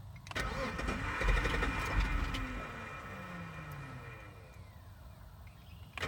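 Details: Jeep on a start attempt: starter churns the engine at a steady beat for a couple of seconds but it never catches and fades out; cranks, no start.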